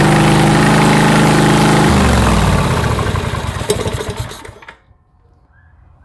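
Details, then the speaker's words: Harbor Freight Predator 670cc V-twin for mini boat, freshly wired and fueled: catches and runs at even steady beat, then shut off and spins down; runs smooth, healthy. "you have it she ran spurred like a kitten"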